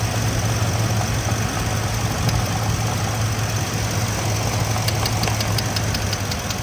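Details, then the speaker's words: 2015 Ford F-350 Super Duty 6.2L V8 idling during water spray test: steady idle then sharp ticking about five a second as spark arcs from cylinder 5 coil boot to head, causing knock code P06B6. "can hear the arcing right there. Now, I had already sprayed all the cylinders and I already knew where it was coming from."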